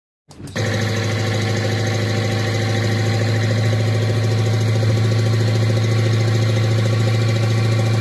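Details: Engine after an attempt to clean the EGR and intake manifold without removing them: it catches and settles into a heavy, deep idle with a faint uneven knock about three times a second; cause suspected, not confirmed.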